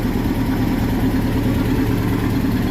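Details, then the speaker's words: 2006 Nissan pickup after replacing the universal joints, rear wheel raised and spinning in first gear: steady, even drivetrain hum with no clunks, clicks or vibration; the rear noise heard while driving is fixed and the driveline is normal. "Gracias a Dios un trabajo más realizado como pueden escuchar ya no hay ningún ruido ya quedó bien la cruceta"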